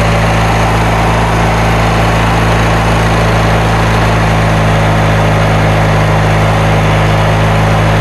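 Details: Kohler Magnum 20 engine, first start after repairs, fed from a temporary gas tank with the choke left on: steady, deep idle drone with an uneven, lumpy edge; rough running, carburetor out of adjustment.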